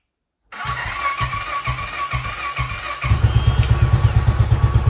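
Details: 2010 Royal Enfield Bullet Electra EFI, 965 miles, unrun for a couple of years, with fresh fuel, a new battery and a repaired fuel leak: catches after a few cranks, somewhat smoky, then settles into a steady, even thump about three a second. Normal running.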